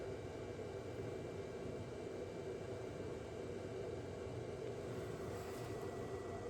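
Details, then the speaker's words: Ford 6.7 L Power Stroke diesel pickup, key on before first start after 3–4 months apart (new rockers, fuel lines, turbo): glow plugs on, quiet steady hum with faint thin tone, fuel circulating, no dripping; normal fuel pump priming. "Glow plugs are kicking in. You can hear the fuel circulating."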